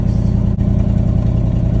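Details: 1979 Chevrolet C30 square-body truck, with no fuel tank: a deep, even V8 rumble with steady firing and no knocks, misses or stumbles. Normal running; it sounds good.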